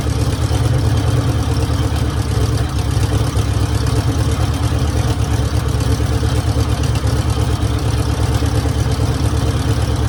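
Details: 1966 Mercury Monterey big-block Ford V8 after fixing a fuel leak (water pump also leaking): deep, lumpy burble holding a steady idle on its own with no knocks or stumbles; normal healthy idle.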